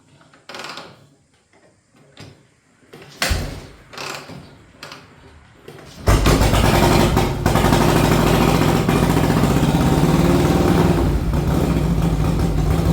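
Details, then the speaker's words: 1961 Harley Panhead, cold start after a ride: a few clunks, then a loud uneven chugging run; rough running traced to an intake manifold leak, though owner first suspected fuel starvation. "All right, I just took it down the road. Uh, it's chugging and bugging. Um, I mean, to me, it sounds like it's just not getting enough gas, but I don't know."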